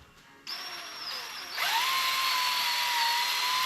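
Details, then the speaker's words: 1972 AMC Javelin V8, 25,000 miles, parked since 1973, oil pump primed with a drill: drill winds up slow, whine dips under load then settles as pump reaches full prime and pushes oil. "I start off slow, like first gear, it's got torque and it just kind of pulls the oil. You can hear it kind of drag down right there where it got full prime."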